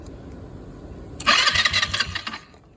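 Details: Chinese ATV, about 8-10 years old: starter spins as soon as battery is connected, even with key off and key switch unplugged; high fast starter whir for about a second then dying away; start switch and key ruled out, shorted starter solenoid suspected.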